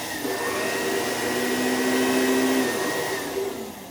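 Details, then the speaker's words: Vacuum left outside in a rainstorm, back still damp, first power-on: motor spins up into a clean, steady whine that holds even, then eases off; sounds strong and healthy. "It sounds great. Nice."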